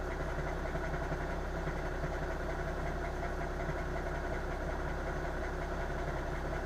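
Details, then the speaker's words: 2011 VW Jetta MK6 TDI diesel with DSG, cold start around -7°C and idling a little while, hood closed, plastic underbody shield on: a low, uneven rattle under the clatter, an audibly noisy worn dual mass flywheel. "Okay, so it's been idling for a little while, not very long. But I don't know if you guys can hear this. The dual mass is a little bit noisy."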